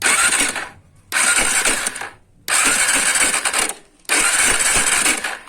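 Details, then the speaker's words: Honda Tornado 250 motorcycle engine revved: harsh metallic clatter in bursts with each throttle blip, fading between; timing chain very slack and had jumped because the chain tensioner failed. "tenemos esta tornado 250 qué hay un ruido del motor vamos a darle maestro pues escuchan el ruido ver si alcanza apreciar"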